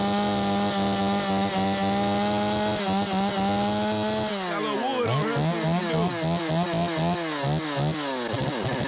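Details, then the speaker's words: Stihl 025 chainsaw (16-inch bar) that won't restart once hot, started with choke: even note, then revs hunt and surge up and down unevenly; fueling issue, carburetor flooding, later fixed by carburetor replacement. "Yeah, it's definitely got some fueling issues."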